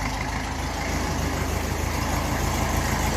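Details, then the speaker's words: 1954 Ferguson 20 TEF diesel tractor, cold idle: loud puffing, rasping exhaust note near 200 beats a minute because the silencer is split and blowing; exhaust leak. "The silencer on this is very bad. It's all split down around there, it's blowing, so it doesn't sound great."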